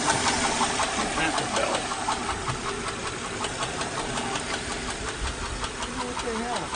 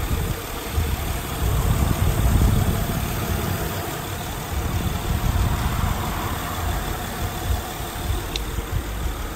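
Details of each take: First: 2008 Honda Odyssey, 212,457 miles, at idle: fast, steady top-end ticking about 160 a minute from damaged camshafts and rocker arms, twice misdiagnosed as timing belt; van also squeaks and possibly knocks but still drives. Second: 2008 Honda Odyssey V6 at about 212,000 miles, idling after the front two camshafts and rocker arms were replaced; smooth, even low idle with no ticking or knocking, a healthy engine.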